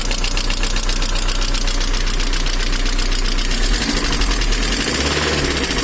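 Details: VAZ 2112 at idle: loose, uneven tapping of about four knocks a second, heard mostly from the manifold side; a knock of unknown origin.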